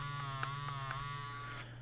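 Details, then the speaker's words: Elite controller trigger vibration test: steady, raspy electric buzz from the trigger rumble motors, audible through the triggers, cutting off abruptly near the end. "Oh, actually, one thing I don't like, you can actually hear the vibration in the triggers."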